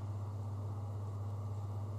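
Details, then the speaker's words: Hotel bathroom ceiling fan heard from the adjoining room with the door closed: a steady low droning hum and drumming. The fan vibrates, and the vibration carries through the shared ceiling panel. "in a closed door I can still hear the fan as in the bathroom but here so some like a little drumming sound"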